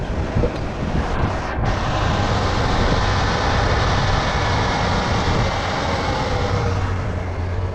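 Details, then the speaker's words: Truck after fixing belt squeak, belt now much tighter; steady, even engine drone with wind rush and no chirp or squeal; belt drive healthy, squeak gone. "We got a working belt with no belt squeak as well. at all. So that's what the problem was."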